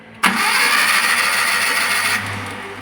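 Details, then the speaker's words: Maruti Suzuki Omni MPFI that stalled while driving after a small rattle: fast, light cranking at about three turns a second with no firing, spinning too freely; the timing belt's teeth are stripped, so the crank pulley turns but the belt doesn't. "Belt ഒരു ശകലം പോലും കറങ്ങുന്നില്ല പക്ഷെ crank പുള്ളിയും കാര്യങ്ങളും ഒക്കെ കറങ്ങുന്നുണ്ട്"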